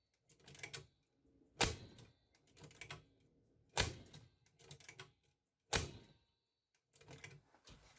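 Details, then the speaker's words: 1979 Panasonic PV-1200 VCR not running: sharp clacks about every two seconds with softer chatter as the solenoid cycles; power supply was first suspected, but the cause was a failed sensor bulb making intermittent contact. "You can hear it takes forever to discharge that freaking solenoid, so. Yep, I think the power supply is dead."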